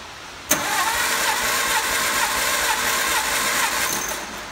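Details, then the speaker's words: 1954 MG TF four-cylinder cranked cold with compression gauge on cylinder one, after a first reading of about 118 psi: steady starter cranking with even pulses, three or four a second, no dragging or skipped beats; normal even cranking. "alright plug in to cylinder number one and crank it over and find out what kind of compression head"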